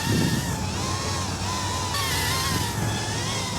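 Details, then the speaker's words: Mobula 8 frame quad, 1003 14800kv motors, 2015 two-blade props, Betaflight master multiplier raised from 1.0 to 2.0: whining motors with wavering warbling pitch and shaky buzz, motors running hot; oscillation from gains set too high. "Okay, no, you can definitely hear there's this like, you can hear that, right? It's almost like the motor itself is vibrating."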